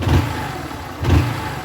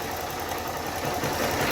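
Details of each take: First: Honda Start 160 motorcycle after the repair: two quick throttle blips rising and falling cleanly, with no ticking or rattle at the top end; the cam chain now sounds quiet and healthy. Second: Honda Start 160 motorcycle idling in neutral before repair: fast, light metallic rattle ("tre tre tre") over the exhaust note, typical of a worn cam chain tensioner letting the chain slap.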